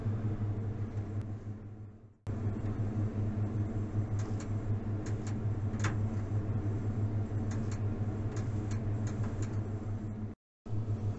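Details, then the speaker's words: Electrostatic cold smoker (Moskit): irregular sharp snaps and crackles over a steady low hum as high voltage sparks across a too-small gap between the spikes, instead of the light buzz wanted. High-voltage arcing. "вот где там пробивает сейчас слышите такой трестов и неестественный"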